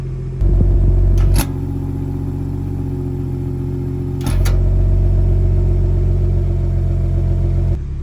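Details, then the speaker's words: BMW (F34 and B58 engine) after replacing the exhaust valve actuator bow spring, bolts tightened: steady deep exhaust note stepping louder twice after clicks as the flaps open, with no rattle or buzz. "Exhaust flaps closed. Connect the Bimmer link real quick. Open her up because that's how I like to drive."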